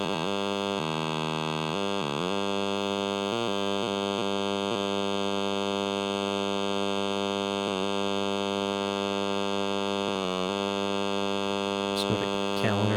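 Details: Everyday device with a screen, heard through a grounded RF probe while random buttons are pressed: constant harsh buzz with stacked steady tones shifting briefly on presses, the screen radiating interference.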